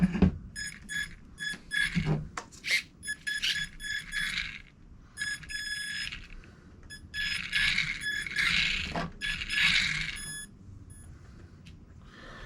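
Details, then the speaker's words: New RC car: short bursts of high electric motor whine rise and stop cleanly, no grinding or clicking. Drivetrain running normally. "oh yeah man that thing sounding good"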